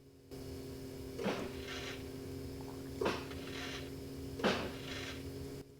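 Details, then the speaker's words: 2008 Chevrolet Silverado repeatedly killing BCMs: jumping the run/start relay feed wire through a 194 test bulb, three sharp double-snap clicks in a quiet cab as relays pull in normally. "you might have heard everything turn on let me do this again so I'll be quiet so you can hear it"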